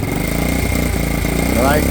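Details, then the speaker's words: High-hours vintage Honda CT70 Trail engine on full choke before teardown, also burning oil: fast idle with light, busy metallic rattle over the exhaust beat; stretched cam chain. "so we'll start it here just so you can hear it and you can kind of see off to choke it fully kind of hear the rattly camchain in"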